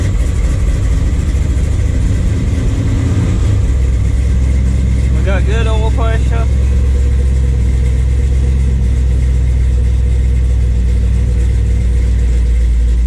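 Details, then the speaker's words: Chevy square body with an SM465 manual transmission behind a 6.0 LS V8, running in neutral: a steady low rumble with a faint gear hum and a little noise, but no grinding or knocking. It sounds fine. "still a little noisy that sounds fine to me a little noise here but some perfectly fine"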